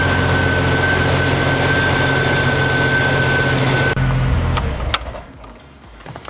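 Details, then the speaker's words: 1992 Jeep Wrangler YJ 4.0L after engine rebuild and TDC/distributor reinstall: even, smooth idle about four seconds with faint steady whine, then shut off. Normal idle. "but I think we'll start it up here again just so you can see how it fires right up. There you go. Sounds really good though."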